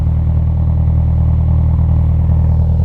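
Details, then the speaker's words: Toyota Celica after fixing the exhaust leak at a joint before the MOT: steady, deep exhaust burble at idle with no leak puffing or ticking; back box sounds fine and sits better centred. "Yeah, there's no leaks now, which is good. Um back box sounds all right."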